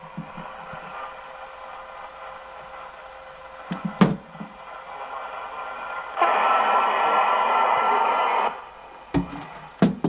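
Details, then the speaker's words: 1980s Uniden Grant XL CB radio, auction find repaired after prior tampering, no antenna connected: quiet receiver hiss, then a louder received signal breaks through clearly; normal reception after repair. "this thing will definitely pick up signal so I'm happy with it"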